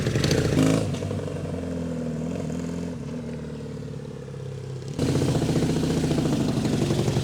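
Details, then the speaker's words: 1989 Suzuki Katana 600 motorcycle revving: loud raspy blatting revs rising and falling with throttle, harsh and lawnmower-like; exhaust leak from a hole hidden behind the fairing. "But do you hear how loud it is? Yeah. You can see the leak coming out. Oh yeah, you're right. Sounds like a lawnmower. It does sound like a lawnmower."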